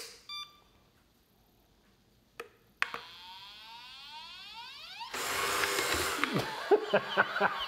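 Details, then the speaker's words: Hoover robot vacuum after cleaning its three filters and refitting: a few short beeps, then a steady rising motor hum with brush swishing as it powers up and runs normally. "Thing just can't stop, man. Just wants to fucking keep cleaning."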